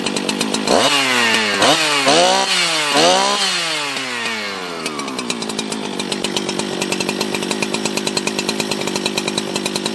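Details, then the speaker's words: Husqvarna 365 chainsaw, 24 years old, after full rebuild with bad parts replaced, first start: several crisp throttle blips then a steady, even idle; runs healthy, normal running. "that's that's the sound of a husky that's how that's how a husky runs"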